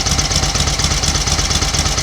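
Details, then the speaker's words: 1938 Matchless Model X 990 cc V-twin running after several years laid up, gearbox and primary drive rebuilt, oil returning to tank: even thumping beat with crisp exhaust pulses, no rattles or clatters; normal idle. "well that is running absolutely beautifully isn't it no Raffles no clatters you think it's knocking on the door 90 years old"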